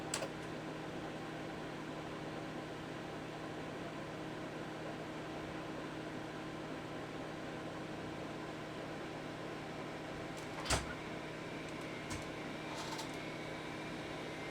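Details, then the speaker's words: PDP-11/73 system with newly installed RZ55 SCSI hard disk, found in controller scan: steady fan hum, then a click and faint rising whine as platters spin up; normal drive spin-up. "it's spinning I can hear it worrying click oh look at that rz55 how about that excellent"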